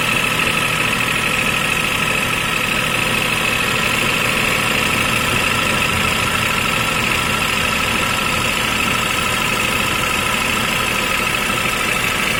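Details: 2005 Toyota Vitz KSP90, 0.9-litre engine with CVT, at idle: steady idle with a thin high whine on top and a faint quick tick; unidentified foreign noise, source not yet traced.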